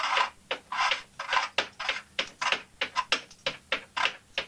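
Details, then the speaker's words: 1974 Norton Commando gearbox, inner cover off and mainshaft unsupported at that end: turning the clutch by hand still gives rasping ticks in bursts about every half second; owner suspects misalignment, source not yet found. "but rotating the clutch still makes the ticking sound."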